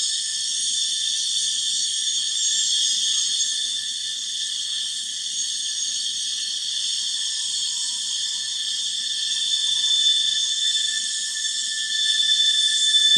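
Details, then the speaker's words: Norfolk Southern train on Horseshoe Curve: sustained shrill wheel-flange squeal against rail growing louder toward the derailment spot, probably from the steel-loaded cars; cause suspected, not confirmed. "you can kind of hear the steel wheel on rail rubbing against the rail higher and higher in a higher and louder pitch right up to the spot of the derailment."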